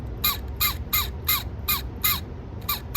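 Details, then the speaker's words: Sony TC-K650ES cassette deck: repeating shrill squeaks, about two and a half a second, in two different tones, louder at faster speed; first blamed on a dry gear, then found to be the motor bearings themselves. "well looks like i was wrong and these guys are screaming itself you see two different tones"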